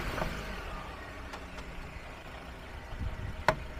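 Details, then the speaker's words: Citroen C4L, microphone on the hub side, car moved with steering turned: low rumble with sharp irregular clunks, only with steering turned, not straight ahead; suspected CV joint. "I put this wheat on the hub side and it sounds very obvious. Come and go Cuckle, Cuckle, Cuckle There will be a bang up and down"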